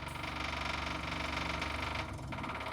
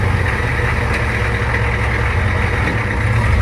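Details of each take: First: Diesel crew cab work truck, first start after rewiring, glow plugs cycling, new fuel line: fast, even ticking about four per second over a low rumble; old lift pump very loud, likely pushing air before bleeding. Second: Old Ford diesel homemade crew-cab work truck after its wiring was redone, idling outside after being backed out: a low, steady clatter with an even beat and no misses or knocks; smooth, normal idle.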